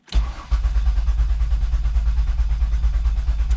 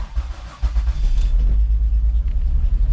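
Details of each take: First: 2005 Mazda Tribute 3.0 V6 that ran rough with misfire codes and was towed in, cranked with the pedal floored. Even, steady cranking at about three beats a second with no uneven pulses. Normal cranking; compression sounds even. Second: 2005 Mazda Tribute 3.0L V6, check engine light and rough running: cranks and catches into a lumpy, stumbling idle with misfires on cylinders 1, 4 and 3; won't stay running without throttle.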